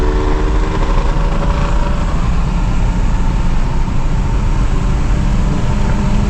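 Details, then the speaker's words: Audi A6 2.8 petrol automatic under way with a burnt-through exhaust flex pipe: loud, deep, rough, blatty drone as the car pulls; exhaust leak at the flex pipe, still to be fixed. "Я ж кажу, що вона поїхала, але гофра, гофра звучить. Ну, прям прям не дуже."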